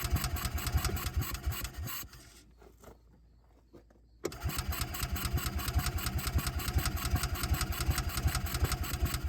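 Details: Bobcat Pioneer (Club Car Carryall) two-wheel-drive UTV, marketplace revival, in neutral with parking brake on: uneven, lumpy idle with irregular pulses, sagging near stalling then picking up ragged; dies when revved, runs better on choke.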